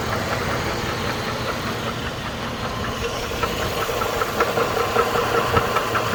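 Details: 2008 GMC Envoy with 220k miles and well-maintained oil, at idle: steady ticking knock about two and a half times a second over a rough idle; source still undiagnosed.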